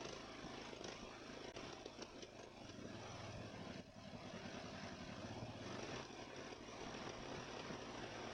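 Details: Ariens mower after its Nikki carburetor rebuild: an even, steady small-engine drone with only slight wavering, settling into a smooth idle. It responds to throttle with very little surging, far better than before.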